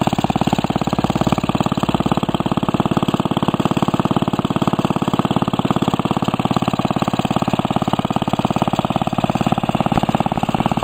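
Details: Restored 1945 Briggs & Stratton Model WMB single-cylinder engine with a rope starter, run after repainting; crisp, even firing of about three beats per second, steady throughout; normal running.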